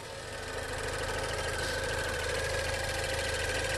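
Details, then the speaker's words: 2016 Range Rover Evoque at idle during a pre-purchase inspection, hood open: light, quick clicking about three per second over a smooth idle; not scary, but the inspector is unsure it's normal. Ticking at idle, cause unknown. "okay i can hear something clicking it doesn't sound scary but i can't say for sure that that it's normal"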